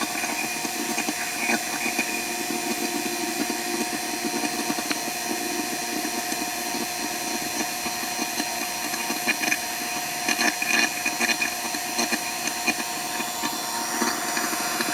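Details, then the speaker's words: Vacuum pump evacuating a 12k BTU Senville mini split line set in an RV, Schrader valve removed for stronger vacuum, micron gauge dropping: steady, even hiss and hum, no knocks or surging; normal pump run. "So I'm gonna go ahead and fire it up. So you can see my vacuum level dropping for the moisture"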